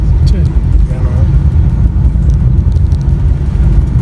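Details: 2013 Chevrolet Aveo after replacing the damaged rear double wheel bearings: steady low road rumble and engine drone, no squeal or grinding through curves and braking (squealing before repair); rear wheels run quiet on road test.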